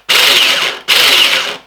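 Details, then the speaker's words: Wells V2 airsoft gearbox being run to failure, motor height bolt added: two short bursts of high hissy gear whirring, nozzle moving but no piston movement; owner believes the piston has failed, bushing possibly spinning, not confirmed. "I can hear the gears going around and the nozzles moving back and forth, but no piston movement whatsoever."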